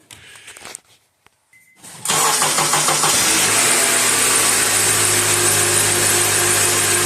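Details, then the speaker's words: 2005 Honda Accord after a front-end accident, engine running: loud steady hum and hiss, with a power steering whine when turning, worse on cold mornings; bubbles in the reservoir show air getting into the system. "the stirring as you turn it makes this whiny noise"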